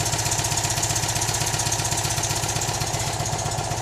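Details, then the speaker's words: Citroën 2CV air-cooled twin at idle after replacing a faulty ignition coil that caused misfiring, jump started: even steady putter with regular beat, no stumbles or misses; running cleanly. "So swapped the coil, had to jump start it with the ZX, and she's running beautifully."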